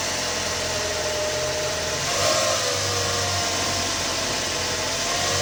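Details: Fiat Palio Attractive Fire Evo engine idling with a gritty mechanical noise and a brief thin tone about a second long; abnormal engine noise, owner asking if others have seen it, source not yet found.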